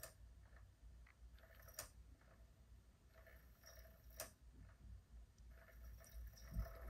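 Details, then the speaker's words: Japanese PS1 SCPH-5500, initial testing: quiet console hum with a few sharp, irregular slaps seconds apart; owner suspects the disc drive laser sled travelling to its end and slapping. Unconfirmed. "so it sounds like the little sled is going to the back of the line and then just sort of slapping either on one side or th"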